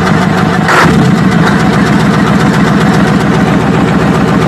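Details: Mitsubishi diesel: a hard, regular tak-tak knock at about three to four per second over a rough idle; suspected combustion knock, so the fix is cleaning, then shifting the pump if the knock remains.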